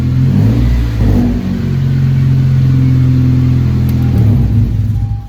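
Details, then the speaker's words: 9th-gen Honda Civic Si engine that previously had a rumble, now revved; picks up cleanly, holds even steady note, no rumble or stumble: normal running, coil swap later discussed. "It sounds normal to me, dude. It don't sound like right now, it sounded better right now."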